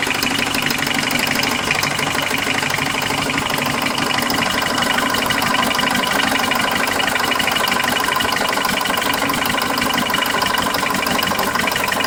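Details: Car with a ticking that started two days ago and lasts from start until shutoff, somewhere around the oil pan: steady light tick about three per second over a smooth idle. Owner suspects something loose or the balancer; cause unknown.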